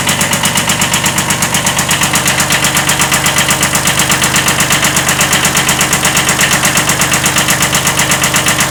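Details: 1979 Kubota B7100 small tractor diesel (original D750 engine, later replaced with a D950) at steady idle: fast, even diesel clatter with a slight, sharp rod knock on every revolution, pointing to a worn lower-end rod bearing.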